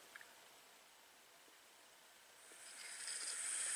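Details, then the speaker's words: Chevrolet Captiva with a no-crank fault, same setup and problem as a 2008 Saturn Vue V6 with low-voltage issues. Water from a bottle on the battery cable: near silence, then a soft sizzle builds over two seconds; cable overheated. "Yeah, that's right, it's sizzling. So he wasn't kidding about the hot battery cables."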